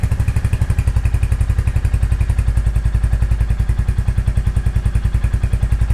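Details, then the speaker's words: 2023 Royal Enfield Hunter 350 in neutral after valve adjustment, before oil change, warming up: steady even single-cylinder thump at idle, only exhaust and engine rotation, loud ticking gone; normal idle. "bike sounds really good no more loud ticking noise that I had before I had a really really loud kick and it's gone all I hear now is the exhaust and then just the engine rotation"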